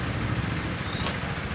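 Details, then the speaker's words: 2017 Honda Sonic after repair of rough ticking noise traced to the automatic cam chain tensioner: low, even idle putter with no ticking or rattle from the top end; running smooth again. "sudah halus kembali teman-teman."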